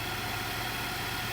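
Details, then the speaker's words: Infiniti QX80 idling after throttle body and mass air flow sensor cleaning: a steady, even hum with no misses, surges or knocks, hardly any vibration, rpm needle not moving. Smooth, normal idle. "hardly any vibration. Nice and smooth. The RPM needle doesn't budge."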